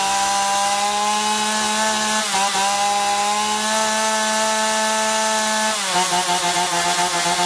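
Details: Chainsaw after carburettor cleaning (had surged and lost power even unloaded), both L and H screws set fully in then out 1.5 turns: strong high buzz holds steady, dips briefly as chain bites wood, recovers without bogging; healthy.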